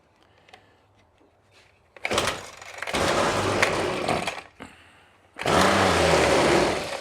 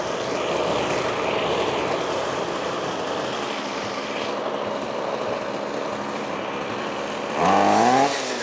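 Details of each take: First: Trash-picked Ryobi 25cc two-stroke string trimmer, first run: two short bursts of high raspy revving that die as throttle eases; runs very lean and won't keep running off throttle, carburetor suspected. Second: Trash-picked Ryobi 25cc two-stroke string trimmer after fuel lines fixed and primed: steady buzzing run, then clean rev-up without stumbling; running normally.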